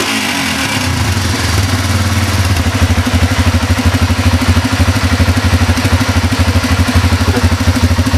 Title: transalp bruit moteur